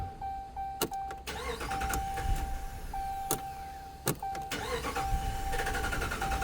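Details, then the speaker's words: Dodge Ram 1500 5.7 Hemi towed in for intermittent click/no-crank: starter churns unevenly for several seconds before the engine catches; long crank time, cause not pinned down, starter heat questioned. "uhoh long crank time on top of that oh my goodness yeah I definitely need to take this in the shop"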